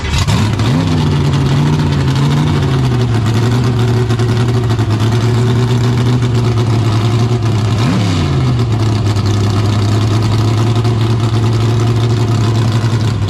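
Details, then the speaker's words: 1972 AMC Javelin, motor long unrun, started in park: fires easily, blips then settles to a steady deep idle with clean revs; good oil pressure, no smoke, normal idle and revs. "But it fires right up, like, easy. I mean, that sounded great."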